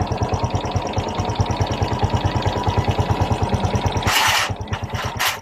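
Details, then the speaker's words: Honda XRM 125 Fi after replacing loose timing chain (roller guides and tensioner also replaced); even single-cylinder putt about two beats a second, no ticking, brief blip; clean normal idle, earlier ticking caused by timing chain. "so yun na guys balik na ang tunog ng kanyang makina walang yung lagitake na ang dahilan ay ang timing chain"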